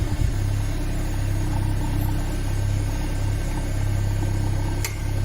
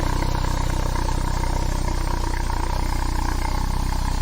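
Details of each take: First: Citroen BX during restoration, freshly reassembled with breather system not yet fitted and a soot-smoky exhaust: steady, even idle with a soft pump whir underneath, slight tinkle from the resonator; normal idle. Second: Citroen BX at idle, exhaust with non-genuine front pipe, sooty from diesel: deep even pulse about 3.5 beats a second with heavy low boom; exhaust louder than before, sounds like a tractor.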